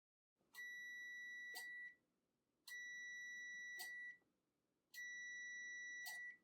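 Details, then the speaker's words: Replacement relay from a Kenmore Elite oven control module for a broil element not working, with 12 V on the coil. Three clean continuity beeps as the contacts close with a strong sound. The old relay's contacts were weak, with no continuity. "I can hear the relay contacts are moving with a lot stronger of a sound, and I can feel the springiness."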